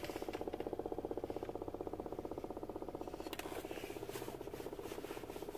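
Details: 2007 Toyota Avalon blower motor, under the passenger-side glovebox, cutting in and out: a steady whirring hum with a rhythmic chirp about 2.5 times a second. Little air moves even on high, pointing to a failing blower motor that was replaced.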